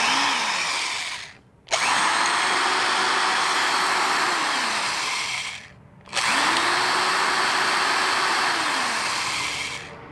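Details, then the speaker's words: Found-in-junk-pile die-cast metal Porter-Cable 3/8" electric drill, grounded 3-prong cord, first start: motor whine climbs smoothly with the trigger, holds, winds down, twice, no grinding; good variable speed, reverse; occasional start-up clicking, owner suspects loose crud; normal running. "Very good variable speed control. I'll put it in reverse. It makes kind of a clicking sound when it first starts."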